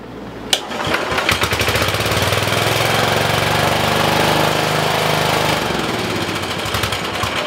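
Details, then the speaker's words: 1973-74 Simplicity 738 riding mower single engine, idling outside after two years unused, new battery, carburettor cleaned and main jet needle corrected: even popping idle, steady beat, no misses or knocks; running clean. "so I think you guys can hear the motor running in the background I got it running outside just idling"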